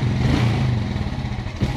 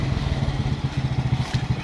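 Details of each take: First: Suzuki Smash motorcycle with a weak battery, neutral light dimming and brightening as throttle opens: engine note stumbles and breaks up unevenly, never pulling cleanly; misfire from weak spark due to the battery. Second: Suzuki Smash after fitting a new battery and an original regulator (kiprok), kick-started rather than electric-started: steady, even single-cylinder beat with no misses or stumbles; the engine now runs healthy.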